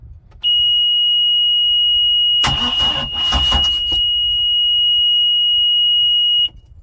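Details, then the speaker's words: 2011 Bayliner 185 boat with 3.0 MerCruiser engine, bought from Copart: steady high warning tone on key-on, a second or so of starter cranking, then the engine fires and catches normally, afterwards showing 14 volts, 1400 rpm and 40 psi. "I'm surprised. I'm surprised with the shape that solenoid in is actually turning over."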